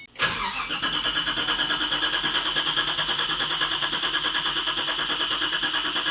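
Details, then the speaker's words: 2006 Ford GT V8, barn find that sat 15 years, being revived: brief crank, catches at once, then settles to a smooth, even idle with a steady exhaust pulse while warming up to temperature. Normal cold start and idle. "All right, so we just get to listen to this beautiful V8 idle and give it ma"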